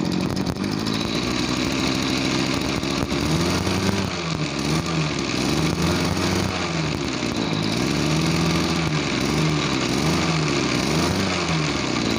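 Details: Farm backpack sprayer small two-stroke engine, owner complained it bogged and lacked power when throttled; started on one pull. It now revs up and drops back cleanly several times, pitch rising and falling smoothly with no bogging; normal throttle response.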